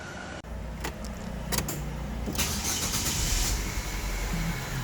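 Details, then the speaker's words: LPG-converted car at start-up: brief crank then an uneven, lumpy idle with irregular low thumps and heavy shaking; misfire traced to a faulty gas ECU connection. "지금 시동을 걸었고요. 영상에 보이는 것처럼 차가 심하게 지금 떨고 있어요. 많이 떨고 있죠."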